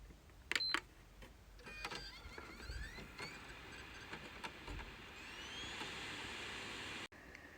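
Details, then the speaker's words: PS5 console after repair of a three-beeps, no-power fault (firmware rewritten and verified, dust cleaned): normal power-on with a couple of handling clicks, then a fan whirs up to an even hiss with no beeps. "there you go we're all good white light shows it's booted ready to send back to the customer so there you go job done"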